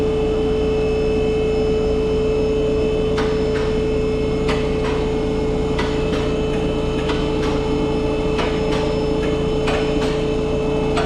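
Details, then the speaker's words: Audi A6 2.0 TDI diesel with 0B5 DSG automatic, raised on lift, idling: steady hum with sharp uneven knocks about three a second from engine-transmission junction; worn dual mass flywheel, sometimes shakes car on start. "And we can hear that the sound is coming from uh this side uh over here. That is uh that is where is the connection between the transmission and uh the engine."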